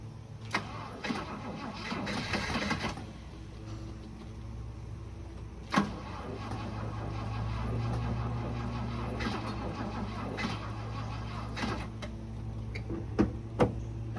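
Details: 1980 Rover SD1, Buick-derived V8, unstarted about 18 years, fresh gas, fuel pump building pressure. It cranks in uneven bursts with brief catches but won't run. Spark is present; owner suspects insufficient fuel delivery.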